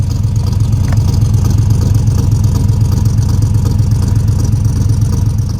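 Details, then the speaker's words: Cammed V8 truck (about 450 hp) after header gasket replacement, idling with one coil pack accidentally left unplugged: deep loping thump about three pulses a second, sounding like a four-cylinder with half the cylinders out; misfire. "now guys I realized that I sounded kind of like a four-cylinder because it kind of was running on four cylinders so I forgot to connect the coil pack"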